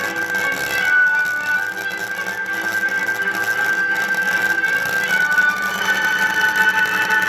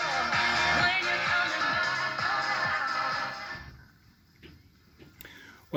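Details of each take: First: Pioneer KEX-23 car stereo speakers, stored many years in a box, on the bench: music thin and tinny with no bass and rough scratchy edge; cone suspension disintegrated, before fitting new suspension rings. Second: Pioneer KEX-23 car stereo speakers after repair, old foam suspension removed and repaired with Copydex latex adhesive, unmounted on bench: radio music full and clear, no rattle, buzz or scraping cone.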